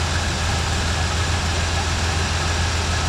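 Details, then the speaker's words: 1986 Chevy C10 that sat a couple of years, running after revival: steady, even low idle with no ticking or knocking, running pretty good. Blow-by and smoke are clearing; it probably needs a water pump. "all right the blow-by's clearing up almost gone oh [Applause] a little low [Applause] it's actually running pretty good"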